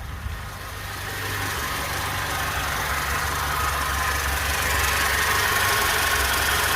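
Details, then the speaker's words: 1988 Toyota Corolla FX, automatic, carbureted, idling after a new aftermarket carburetor was fitted to cure months of poor idle and running; owner has been adjusting it and says idle could go a little higher. Even four-cylinder rumble, smooth and regular, only slightly slow: normal idle. "I can turn up the idle a little bit. I've been messing with it today."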